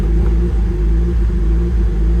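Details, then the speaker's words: Car in for diagnosis at idle: deep, uneven, lumpy rumble that won't rev, sounding as if running on only about two cylinders; no misfires logged and vacuum drops, so an injector fault rather than spark is suspected. "so there sounds like we lost a couple cylinders if you can hear that let's go in here it is not recognizing any misfires but we definitely are only running on like two cylinders actually kind of sounds like the injectors went down more than the spark"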